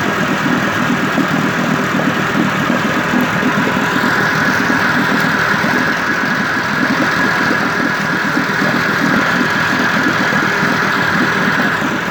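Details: 1958 Evinrude 18HP Fastwin two-stroke outboard with replacement powerhead, new head gasket, rings, crankpin needle bearings and NGK B6S plugs, on heavy 30-weight oil mix, smoking slightly, cover on. Steady, even tick-over, no misses, knocks or hunting: normal idle.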